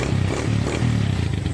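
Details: 13-year-old daily-use Suzuki Thunder 125 single-cylinder motorcycle with a torn carburetor diaphragm, after servicing: pulls cleanly through short throttle blips with a crisp, even beat and a throaty exhaust note; sounds healthy.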